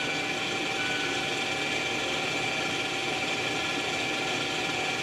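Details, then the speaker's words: 2017 Mazda 3, rear electric parking brake put in service mode before a pad replacement: a steady, even electric whir lasting about five seconds with no strain. The caliper motors are retracting normally. "you should hear the motor turning right now there's the end of it so now they are retracted"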